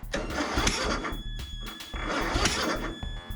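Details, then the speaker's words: Craftsman ZTS7500 zero-turn, Kohler Courage engine, on jumper battery; two bursts of fast high whirring with no engine turning over; starter freewheeling without engaging flywheel, cause unknown, owner considers swapping starter. "Something funky going on in the starter. It was spinning so good. What is going on with this starter?"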